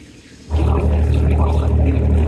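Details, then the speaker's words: Boat engine after raw water pump replacement, warmed up, no leaks, brought up to 1500 then 2000 rpm: picks up cleanly and holds a smooth steady drone with no gurgle, surging or misses; runs healthy. "She's looking good. Let's go 2000. Beautiful."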